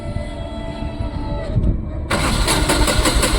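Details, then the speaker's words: Tata BS6 petrol engine cranking with a test bulb wired in: even starter churning at about four beats a second that never catches; no supply to the fuel pump, blown fuel pump fuse, no DTCs. "अब यहाँ समस्या क्या हो सकती है? ईंधन pump चालू नहीं हो रहा है"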